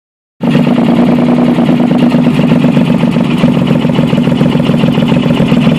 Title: VP Exhaust leak